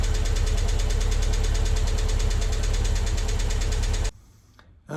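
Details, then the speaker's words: MG TF engine at first start after head gasket, water pump and timing belt replacement, standing five to six weeks: fast, even tappet ticking from drained hydraulic lifters, gone after about 10 minutes as oil circulated. "just a quick note to say the horrendous tappity noise your tapping noise you can hear when I start the engine up. Uh that was the tapets. Uh they've been standing still for five or six weeks."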